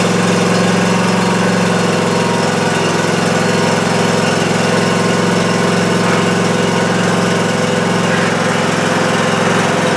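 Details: Cub Cadet ZT1 Ultima zero-turn mower test-run after installing a new deck belt and blades (the old belt had melted onto the PTO pulley): a steady, even engine drone with no knocks or misses. Running healthy.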